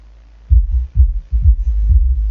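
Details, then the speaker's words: Bass Habit SE5100.1DF car audio amplifier after repair of a burnt power-supply section: clean, deep bass thumps in steady pulses with no crackle, hum or cutting out; the amplifier is revived and works properly. "Bon, on a tous entendu que ça faisait du boum boum. Bon, ben ça va bien. Voilà, il revit cet ampli."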